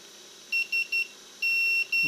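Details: Quadcopter on a 400 frame with an F405 flight controller and BLHeli_S speed controllers, props off, powered on. Three short high beeps, a pause, then two longer tones: the normal ESC startup chime.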